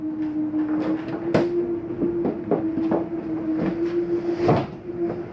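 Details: Slide number three retracting on a 2023 Jayco Eagle 30.5 RSOK fifth wheel, bottom coming in first: steady motor hum with scattered clunks. The final noise is normal, the mechanism signalling it is fully in.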